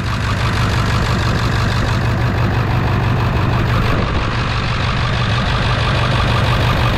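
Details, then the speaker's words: 1999 Ford F-350 7.3 diesel, started cold after replacing the fuel bowl drain valve, no leaks. Loud idle with an uneven, lumpy beat about three per second, like a dead cylinder; owner suspects an injector is down until it warms up. "the engine's kind of running rough for whatever reason this thing's down it seems like it's down an injector until it warms up"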